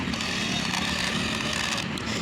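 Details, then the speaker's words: Homemade electric RC Swaraj tractor, DC motor gearbox, pulling a loaded trolley forward: steady buzzing whine with rough scratchy edge; gearbox noisy under strain, cause unclear, gearbox trouble recurring across the owner's RC tractors. "यानी अपने सारे ट्रैक्टरों में gearbox में दिक्कत आ रही है सबसे ज़्यादा।"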